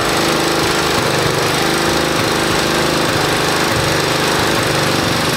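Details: 1969 Roof Palomino lawn mower Jeep (former 60-inch-deck mower), single-cylinder engine started with choke and compression release on, chugs at a steady, even beat with no misses or knocks; runs normally, reverse works.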